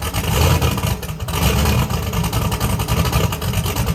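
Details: Chevrolet Camaro Z28 V8, first start after three years of work: fires and revs with a deep, even rumble, no knocks or rattles over the exhaust; normal healthy running.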